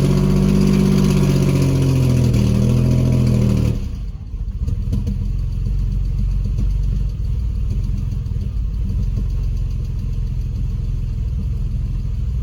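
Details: Porsche Boxster hardly running: a short rev, then a lumpy, irregularly stumbling rough idle; owner asks whether it is running on only 3 cylinders, possibly a dead cylinder, unconfirmed.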